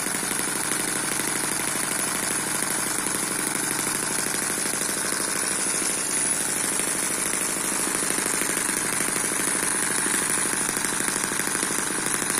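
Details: Eachine EM1 (same as M14) four-stroke opposed double-piston mini engine at steady low speed, not meant for high speed. Fast, even sewing-machine-like buzz with no knocks or misses. Smooth, healthy normal running.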